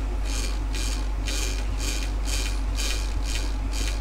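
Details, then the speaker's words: Westinghouse Mastermind LF700B washing machine that won't do a high-speed spin, motor removed: slow, even ticking about forty a minute over a steady low hum as the shaft turns, just the worn brushes clicking on the commutator, judged harmless. "So I guess the clicking is nothing to worry about then, because it's just the brushes wearing."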